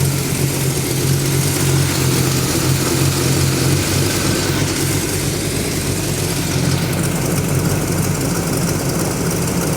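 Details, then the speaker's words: Freshly rebuilt GMC squarebody V8 with a flat tappet cam, idling during break-in with timing about 8–10° BTDC after a ruptured transmission cooler hose was fixed: steady smooth low burble, no knocks or misses; runs well. "And uh it's running real good. Sounds nice."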